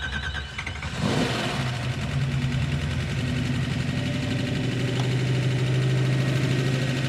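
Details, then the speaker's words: 1975 AMC Gremlin with 426 Hemi, hot idle: light quick ticking about three taps a second over the V8 note; very loud lifter tick that began once the engine got hot, plus vacuum leak and no throttle return spring. "That is radically unacceptable lifter noise."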